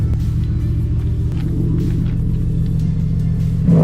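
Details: 2006 Subaru STI with a Tomei Expreme Ti catback, checked for a leak where it meets the downpipe after retightening the clamp. Deep, steady exhaust burble that swells on a short rev, with no ticking or puffing: the joint sounds sealed.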